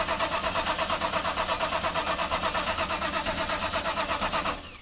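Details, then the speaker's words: Car with an electronic fuel pump so it cannot start, crank-tested on a Hulkman Alpha85 or JF.Egwo jump starter. Fast, even cranking at about three pulses a second with a strong starter and no start, then it winds down: normal cranking. "Okay, that's long enough. You can see that would have just kept right on going."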